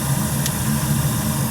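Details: New replacement gas boiler with three circulator zones, high limit set at 180° with 15° differential, firing after installation: even, low, steady rumble with no pulsing, banging or whistle, so the burner is running normally.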